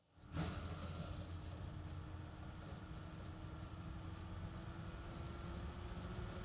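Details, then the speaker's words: Dell Dimension E520 (about 20 years old, Windows XP) booting: the system fan, controlled by a CPU heat sensor, swells from a quiet whoosh with a faint whine to a roar that overloads the microphone as the CPU runs hot. "It's getting louder. Still booting up. It's getting louder and louder. It's actually rocking the microphone there."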